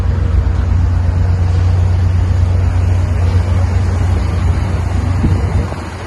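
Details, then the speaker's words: 1958 Cadillac Eldorado, heavy 2-door coupe, 365 V8 with 3 bolt 2 barrel carburetor, idling outside on a new near-original exhaust with rear resonator mufflers; deep, steady rumble, no ticks, knocks or leaks, purring quietly; normal idle. "Very quiet. Probably the longest 2-door coupe ever made. I'm not quite sure, but I'll have to look that up. Heavy car. Purring like a kitten."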